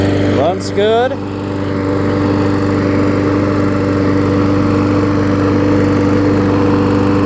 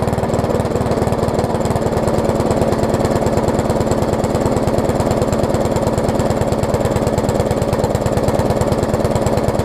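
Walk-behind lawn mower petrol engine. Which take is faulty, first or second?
second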